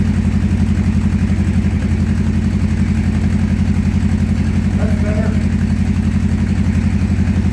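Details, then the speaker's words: 1984 Honda CB700SC Nighthawk after carb cleaning, cold, choke coming off: smooth even beat at slow idle that barely holds; idle screw needs turning up; low cold idle speed. "man really smooth yeah the Idol's a little [Music] dark joke off from the little throttle because I don't think it's not enough it's still cold it's got a warm up a bit"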